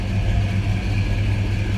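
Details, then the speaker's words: 1964 Chevrolet Impala convertible with a 327 small-block Chevy V8, Edelbrock-equipped: deep, even, throaty rumble with a steady lope through dual exhaust, no knocks or ticks; normal V8 idle. "Like I said, good sounding car, nice deep throaty exhaust note."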